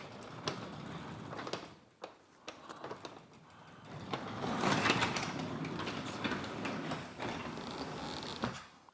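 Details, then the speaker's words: Garage door after removing protruding handle that clipped the top: rollers rumble evenly along the track with only light section clicks, no catching or binding; door travels smoothly. "So now let's try it. Yeah, totally smooth. Not a single issue."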